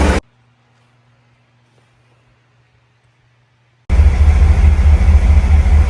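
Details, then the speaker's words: 2015 Cadillac Escalade GM 6.2 V8, 5,600 miles after replacing lifters (a non-DOD lifter failed at 180k miles), cam with one worn lobe kept, AFM not disabled: after a quiet gap, smooth steady low idle with no lifter tick or knock. Running well. "This is what she sounds like. Um, after a couple months of driving, doing well. Knock on wood."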